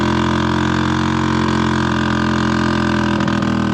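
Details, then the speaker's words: Old Harley golf cart with loud exhaust needing new muffler, in cold weather; electric motor spinning with occasional pops before the engine fires, then loud rough strained drone labouring to move; struggles in the cold. "so you can hear the electric motor just spinning with an occasional pop and that's cuz it's trying to get going and there it goes finally gained traction so here we go and she is having a hard hard time right"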